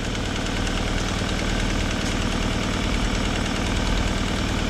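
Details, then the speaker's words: Vauxhall at idle: light quick tapping, about three per second, over an even idle from a small blow at the exhaust manifold; spare manifold to be fitted. "Little blow from the exhaust manifold, which we have a spare, so we'll be fitting that."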